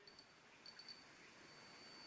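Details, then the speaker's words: Suzuki T500 Titan instrument-cluster bulb tested with an ohmmeter probe on each side: a thin, high, steady continuity beep means the filament circuit is complete, so the bulb is good. "That means it's completing the circle. It's making a loop. If this was a gauge type, it'd go bloop like that. So that's a good bulb."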